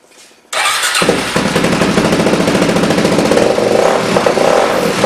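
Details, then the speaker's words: Suzuki DRZ 400 rebuilt with new chain and sprockets, throttle position sensor not yet installed. It starts at once into a crisp single-cylinder bark and revs cleanly with no knocks or misses; runs well. "we still haven't done the throttle position sensor yet of course it runs without it it's sounded really good"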